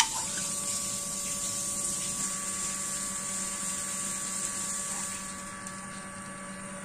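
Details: Hitachi CT-P250F jet water pump, over 25 years of use, air charger assy replaced, running automatically by tap on/off without a tank; steady hum with constant whine and water rush, no rattle, surging or grinding: normal pump running.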